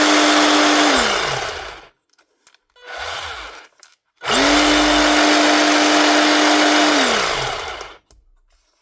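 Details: Panasonic EY7880 SDS hammer drill, battery-powered, after repair with new brush ring and brushes fitted: two clean spin-ups with a steady high motor whine holding even, winding down smoothly; drill motor runs healthy.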